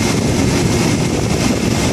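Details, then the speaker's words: Air conditioner condenser fan: loud steady roar with rough uneven rumble; fan motor bearing worn, shaft moving up and down, motor to be removed and repaired. "So what happens is the shaft in the motor is moving up and down and the bearing's wearing away."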